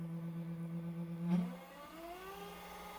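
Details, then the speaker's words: 1000 W 36 V DC motor run through controller with a potentiometer in place of suspected faulty throttle pedal: steady hum then smooth rising whine, no knocks or grinding; motor and controller working. "So when I connected this to the one to the red wire and the other one to the green outer, we can hear the sound and see the engine is starting to run."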